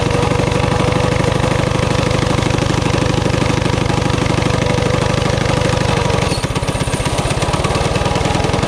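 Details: High idle on a Coleman CT200U-A minibike, Hisun 196cc engine, bike elevated: small single revs fast and hard at about three beats a second, then the note drops as the clutch grabs. The carb can't be set low enough to stop the clutch engaging.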